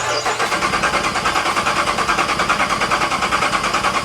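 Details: Supercharged Dodge Charger Pursuit after supercharger and aftermarket wiring install: starter churns evenly about three beats a second, engine doesn't fire; suspected it needs a tune for the aftermarket parts, throttle body twitching on startup; later runs.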